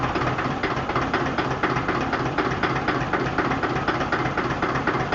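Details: SOM 30 B diesel idling: steady, fairly even clack about four times a second over the rumble; owner says it runs smoothly but smokes a lot and clacks; knocking present, cause undetermined.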